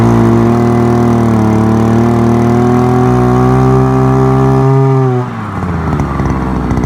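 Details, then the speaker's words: Forte two-stroke petrol brushcutter, outdoors after piston kit replacement for lost compression and knocking (owner blames bad or no oil): steady buzzy note at even revs, dropping cleanly as throttle eases; runs healthy. "а-а-а ось заводиться все сарка працює попробуємо ще раз"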